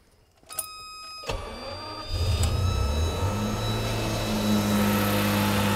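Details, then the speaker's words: Classic car engine on a cold start: brief crank, catches within about two seconds and climbs straight to a high steady fast idle around 2000 rpm while stone cold, before oil has time to circulate. "well as you can hear that engine is running at around about 2000 rpm which isn't a problem particularly but it's quite quick from cold for an engine to be running at"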